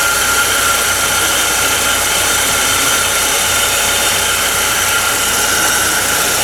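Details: 2011 Ford Ka 1.0 Zetec Rocam, brought in for a noise on first start: an even, steady three-cylinder hum at constant pitch with no knocks, ticks or misses. Normal idle.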